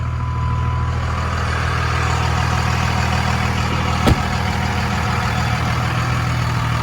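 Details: Deep, steady diesel idle with an even low rumble and one brief click partway through on a 2002 Dodge Ram 2500 4x4 with 5.9 Cummins and 6-speed manual, 102k miles; healthy normal idle.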